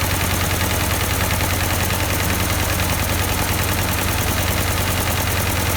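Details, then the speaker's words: 1952 Ford 8N tractor, not run for a few years: lumpy, uneven idle with a skipping beat; one cylinder dead. Plug change helped slightly, carburetor suspected, but number four showed no compression, an oily plug and a stuck-open exhaust valve. "it seems to be maybe a bad plug there we tried changing it there it seemed to be a little bit better of course it's probably still the carburetor a little bit you can hear it missing"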